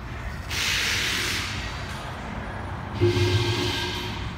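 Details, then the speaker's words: AC system pressurized with dry nitrogen, ultrasonic leak detector aimed at the compressor: a loud rushing hiss swells in two bursts from gas escaping at the compressor shaft seal, though it is inaudible to the unaided ear. "i can hear that that's whistling in my ears just me turning on this can hear the airflow that you cannot hear with the human ear i could hear it through this this thing is just spraying out everywhere tons of sound"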